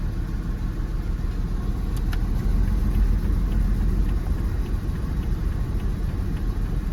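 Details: Jeep WJ 4.0 shaking with dash lights on, AC on, code P0351 (coil primary/secondary failed); a lumpy, stumbling idle. The cylinder 1 plug is not firing, a misfire from the failed ignition coil, fixed by replacing the coil and plugs.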